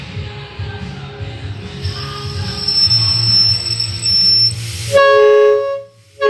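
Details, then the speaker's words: Chevy C60 crew cab with 6.7 Cummins, newly fitted air horn at 120 PSI: clean, very loud multi-tone blast with sharp onset and cutoff, steady pitch; air horn working normally. "is like stupid loud I'll just bump it golly man and uh that's so that's obviously 120 PSI it's pretty Rowdy"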